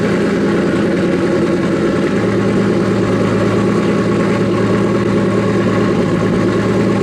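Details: Nissan S15 after fixing its problem: starts quickly, steady even idle with no misses or hesitation; owner hears a couple of exhaust leaks under the car; earlier heavy smoke now mostly gone.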